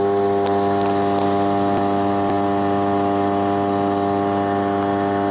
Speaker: from the sound recording I can tell that that is tracking occurring